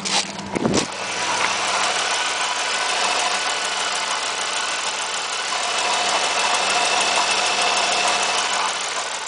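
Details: 1997 Pontiac Firebird 3.8L at idle, mic held down in the engine bay: a light, quick ticking over a steady idle, faint and partly buried in engine hiss; source of the tick unclear.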